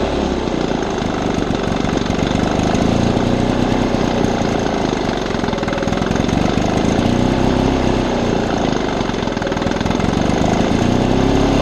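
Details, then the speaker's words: 1975 Lawn-Boy two-stroke mower: ragged, uneven beat whose pitch keeps wandering instead of holding steady, very rough running with surging RPM, though the blade drive works mechanically. "I have started it before runs kind of rough I'm lying t it runs very rough it switches RPMs quite frequently but everything mechanically works"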